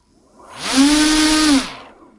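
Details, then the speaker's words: Two brushless motors sharing one ESC on the same set of cables: whine rises to a steady high pitch, holds briefly, then winds down; slightly less power than one motor because less current reaches each. "so since we are controlling both motors from the same set of cables is less amperage that is going to be directed to every engine and that's why less power that we get"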